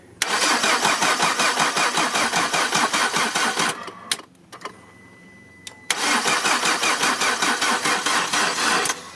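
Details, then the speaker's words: 2008 Peugeot 207 1.4 petrol with fault P11A8 that stopped and won't restart, cranked on a booster: two long, sluggish, uneven crank attempts at about two and a half beats per second, never catching; battery very weak. Engine ECU later found sitting in water. "Oh là, batterie faible. Faible de chez faible."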